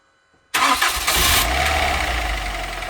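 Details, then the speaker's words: Ford Fiesta ST150 with a replacement engine and new plugs and leads, on its first start. A brief crank, then it catches at once and settles into a steady, even idle with no misses or knocks. Normal start and idle. "I just leave it. I started turning all right. Now we're just going to let it run up."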